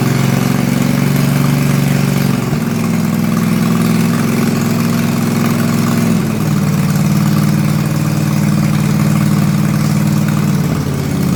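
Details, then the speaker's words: Toro Timecutter Z5020 ride-on mower with swapped eBay replacement engine, no muffler fitted, new engine shipped without oil: loud raw rasping exhaust bark, steady beat rising and falling with throttle, otherwise running evenly. "I'll um fire it up and um show you what it's like it's pretty loud cuz obviously I've got no muffler on it"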